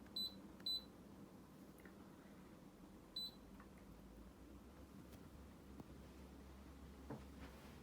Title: MHI Avanti Aircon #2 - Clicking / Ticking Noise